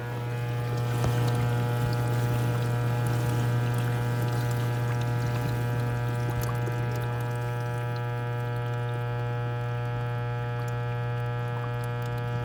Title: Kdte104ess1 kitchenaid buzzing sound